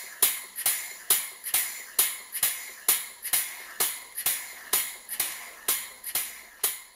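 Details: Model 12-inch Southworth steam pump with burner gas turned off so only the engine is heard: sharp even clicks about twice a second, normal running.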